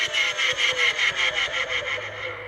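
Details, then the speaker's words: Curb-found Dyson DC25 upright vacuum, condition and history unknown, run with the hose held onto the cuff: harsh grinding rasp pulsing about five times a second over the motor's roar, the worst bearing noise ever heard; motor bearing failure. "I think that's actually the worst bearing noise I've ever heard in my life"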